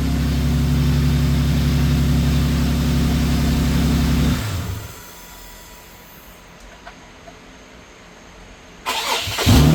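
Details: Infiniti G37 AWD after starter replacement catches right away and idles smooth and even at a steady low hum for a few seconds, then shuts off; normal starting and idle.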